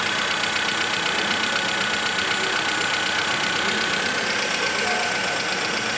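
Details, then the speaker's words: VW Voyage 1.6 engine (Gol/Saveiro) at idle after an oil and filter change; a brief noise from lack of oil pressure right after the change then normalized; even idle with light fast steady ticking about four per second, characteristic of this engine; nothing wrong. "hoje cês tão vendo barulho característica do motor não tem nada"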